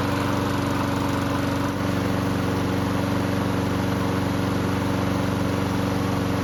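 Small single-cylinder engine holds a steady, even beat with no hunting or rising and falling revs, running smoothly.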